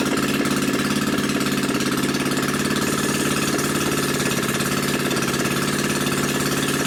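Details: New Predator 79cc single-cylinder engine, muffler removed and drag pipe fitted for an RCF micro minibike; loud, crisp, even popping from the open pipe at a steady fast idle, no misses or knocks, healthy.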